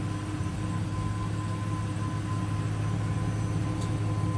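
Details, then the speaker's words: Exhaust at the tailpipe of a 2008 Ford Ranger XLT, 2WD, 5-speed manual, 147K miles; soft, low, even rumble with no puffing, ticking or hiss, very quiet, no exhaust leaks. "sauce is very quiet no exhaust leaks"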